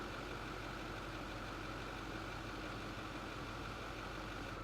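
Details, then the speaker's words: 2008 Ford F-250, 6.4 L Powerstroke diesel V8, complaint of low power and rough running: dense, clattery idle with slight unevenness; power balance test shows cylinder 3 running slower, possibly injector, valve or piston; rough idle from cylinder misfire. "step 11 is the power balance test by simply viewing this graph we can see that cylinder number three is running slower than the other cylinders"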